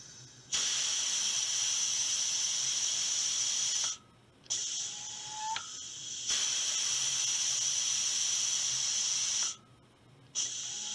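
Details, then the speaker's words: Air rifle booster pump filling from a source tank, with about 2,500 psi presently, driven by a drive tank regulated to 125 psi. The actuator gives steady hissing strokes of a few seconds each with brief gaps and a rising tink at each changeover; normal booster pump cycling. "so when I press the actuator you'll hear the stroke you'll hear it go tink and then you let off"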